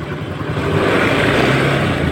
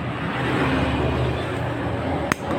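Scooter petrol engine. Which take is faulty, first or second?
second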